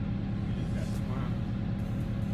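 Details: 2007 Chevy Corvette V8 after repair for a cylinder 8 misfire (bad exhaust valve): new lifters, cleaned and re-torqued cylinder head. Steady, even low idle with a smooth rumble and no stumbles; misfire data shows zero misfires.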